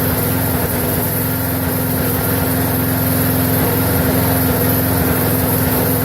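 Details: Briggs & Stratton 4.75hp mower engine, possibly Craftsman, previously wouldn't run and reportedly died 10 minutes after earlier fix, now run-tested over a minute; steady even single-cylinder putter at constant speed, no misses or surging; normal running.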